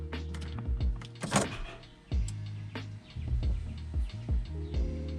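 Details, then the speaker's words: Chrysler Crossfire after fuel filter replacement and battery reconnection: short low buzzing hums start and stop with each key turn as the in-tank pump primes and rebuilds lost injection pressure. Normal fuel pump priming. "entend la pompe qui se doit à lire"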